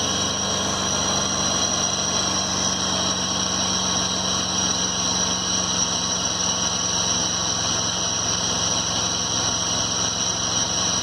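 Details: 2011 Ford F-150 at idle in drive with the brake held: a steady high-pitched whine and buzz over the engine from a corroded vacuum pump, which was replaced under warranty; vacuum pump noise.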